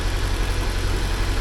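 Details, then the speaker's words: 1979 Porsche 924 running again after repairs, warming up; deep, even rumble with no misses, knocks or ticks, settling into a smooth, steady idle; normal idle. "anyway there it's running all right and that's uh sounds good to me"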